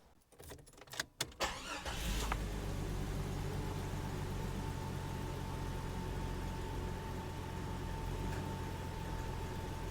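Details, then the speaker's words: Jeep Cherokee after installing a new throttle position sensor: engine cranks briefly, catches and settles into a smooth, steady idle with no hunting or surging; TPS signal wire reads a rock-solid 0.89 V. Normal start and idle. "Let's watch the RPMs here a little bit. Should stay really steady."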